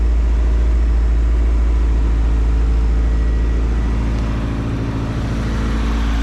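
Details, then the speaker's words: Newly bought car whose idle air control valve had fallen off: steady, even idle that stays high and never settles, though no longer at 4000 rpm; blocking the valve hole brings idle down, so a new IAC valve is needed. "she's not at four grand anymore uh she's still right idling high but at least now i know what"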